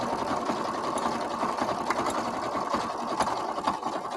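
Steady stitching run with a light, fairly regular click about twice a second riding on top; something is ticking inside the mechanism. Cause suspected, not confirmed.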